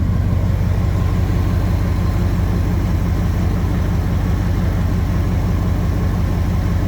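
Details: Flood-damaged ZR1 Corvette after fluid flushes, starter swap and ignition refresh, idling in neutral and running warm during a coolant test for a suspected head gasket: steady even low rumble, no misses, knocks or surging; normal idle.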